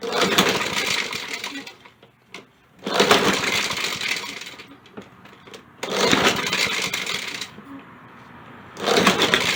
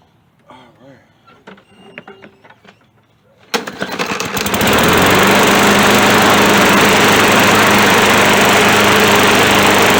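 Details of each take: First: Poulan Pro mower left out in the rain, pull-starting on starting fluid: three rattly recoil pulls, each briefly catching then dying; the recoil rattles and fails to spin the engine fast enough to start. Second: Poulan Pro catches after reassembly and settles into a steady, even, healthy running note without needing a carburettor cleaning.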